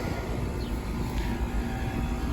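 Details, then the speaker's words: Residential central AC outdoor unit after replacing the failed dual run capacitor: compressor and condenser fan start and run with a steady low hum and even fan rush, no buzzing or hard starting; normal running. "let's hook up our voltmeter to read amperage and fire up see what happens let's see if she'll [Music] start and she's running"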